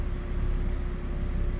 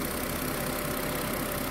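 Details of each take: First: Car idling, heard at exhaust muffler with paper held to it: rapid exhaust puffs rising and falling in strength, rough idle from vacuum leak. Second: Car idling after reconnecting the purge control solenoid valve hose: steady even idle, no hunting, misses or knocks; no fault codes, rpm stable at specified value, normal idle.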